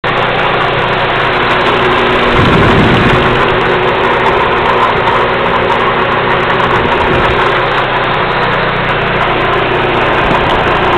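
Loud steady idle with a coarse, uneven metallic chatter running through it; there's a rattle somewhere, but the source isn't clear.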